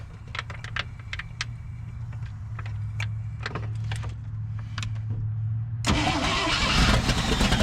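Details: 1963 International Loadstar truck's old V8, first start after setting timing, catches and settles into a steady low idle with no miss or knock before a louder rush drowns it out. Owner suspects earlier non-running was timing or plug wires.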